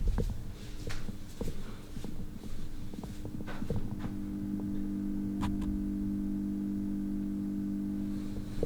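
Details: Thin 5 cm, 40 cm round LED ceiling light: after a few handling clicks, a steady low buzz settles in at one pitch; the light emits an annoying buzzing noise, cause unknown.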